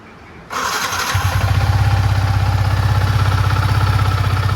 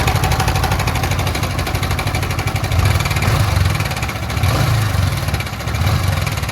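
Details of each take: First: Yamaha MT-15 v1 after timing chain replacement and service (previously harsh rattling engine noise): starts promptly and settles into even, steady idle thump about four beats a second, no rattle or tapping; problem gone. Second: Yamaha MT-15 version 1 single-cylinder, idling with throttle blips: harsh rattling clatter swelling with revs; worn, loose timing chain, with dirty coolant and blackened head found on teardown, oil maintenance doubtful.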